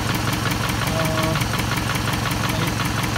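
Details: 2006–2008 Toyota Camry 2.4 engine at idle: sharp, even ticking about three times a second. A replaced lifter did not cure it; the noise was traced to a leaking exhaust manifold, fixed by replacing the manifold/catalytic converter with a new gasket.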